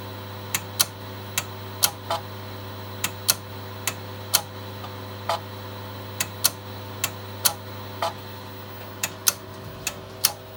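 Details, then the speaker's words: Megastor copying from C to drive B on two Shugart 8-inch floppy drives: sharp irregular clicks about twice a second over a steady low hum as the heads step; normal seek clicking. "I'm going to copy everything from C to drive B. These are two SugArt drives, so they'll be quite clicky."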